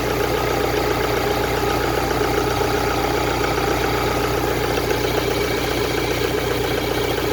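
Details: Ford Transit Connect diesel at steady idle, even clatter with no ticking standing out, sounding healthy; owner had reported a ticking engine with clouds of smoke and changed several parts.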